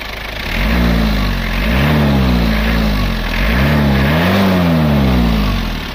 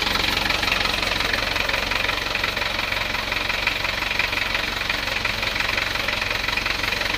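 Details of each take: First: Panther 23 engine after repair for low compression and tak-tak misfire noise: strong, clean revs rising and falling twice over a steady low idle, even and smooth with no knocks or rattles; running normally. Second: Isuzu Panther 2.3 diesel at start-up before repair: sharp tak-tak knock at nearly three per second over rough idle, attributed to low compression causing incomplete combustion; exhaust smoke not white.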